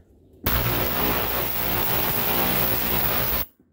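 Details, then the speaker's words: Ultrasonic cleaner, which heats and vibrates to clean parts, used for an old Snapper mower's disassembled carburetor, switched on briefly: loud, steady hiss with a low hum holding evenly for three seconds then cutting off; running normally. "And what this does is it heats up whatever you put in there and it vibrates and it cleans stuff off really, really good without even having to touch it. I'll turn it on here for a second. It's quite loud, so I'm not going to leave it running."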